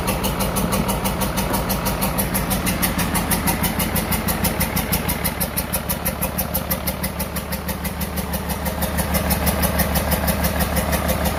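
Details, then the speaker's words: 12-valve P-pump Cummins from a 1994 Dodge 2500 on its first test run, after each injector line was bled of air. Rough idle with a sharp, even ticking clatter: valve lash out of adjustment, valves to be reset. "I got the air out but it still sounds like the valve sets really bad"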